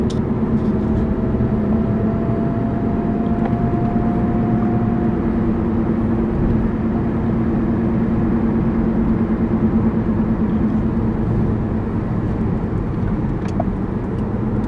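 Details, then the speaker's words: Toyota RAV4 heading for the highway after transmission swap to cure a shudder/vibration: even road roar and faint steady hum at cruising speed, no shudder or surging; drivetrain sounds healthy. "but the cars running great so let's get to the highway and I'll hop on the highway so we can drive"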